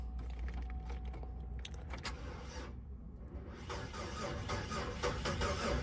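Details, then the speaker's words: Flood Impala at Copart, 37k miles, listed non-runner, tires dated 2008, clean oil, cranked on a booster pack: slow uneven cranking about four beats a second, surging and sagging; almost sounded like a compression issue, probably not; cause unconfirmed. "if you heard the way she was cranking over I didn't like the way it cranked over you know it almost sounded like there was a compression issue or something not really but the crank was very uneven"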